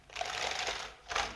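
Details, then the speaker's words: Small omni wheels on a VR motorized shoe platform, rolled on a rubber mat: loud, rapid rattling clatter in two bursts; the three black perimeter rollers are spaced too far apart, so the wheels bump. "And the wheels started turning, as you can see, well, as you can hear, but they were bumpy and loud."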